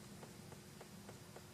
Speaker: we can hear that that is now clicking again